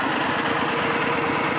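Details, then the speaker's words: Old walk-behind tractor single-cylinder diesel driving a water pump, after refilling dried-out engine oil with 3 L Siam Kubota oil: steady chugging under pump load, no knocking or misfire. Normal running. "ตอนนี้ก็ติดเรียบร้อยแล้วครับผมหลังจากที่เติมน้ำมันเครื่องเข้าสตารเบิ่งโอเคครับติดแล้วพู้นน้ำขึ้นแล้ว"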